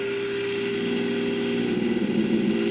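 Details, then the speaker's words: Tube radio alignment with signal generator at about 20 microvolts, tone barely above static: as the IF is peaked, the steady tone over hiss breaks into an unstable warbling squeal; IF stage oscillating from too much gain, so the signal is set back to 100 microvolts. "hear that it's oscillating so what I'm going to do is go back up to 100 and I'll leave it at that"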